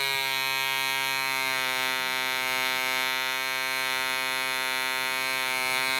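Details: DC Spitfire 1cc model diesel on an 8x4 prop, D2000 fuel: high buzzing, near-steady note with slight wavering as the loose needle valve rotates with vibration and the compression screw winds itself out.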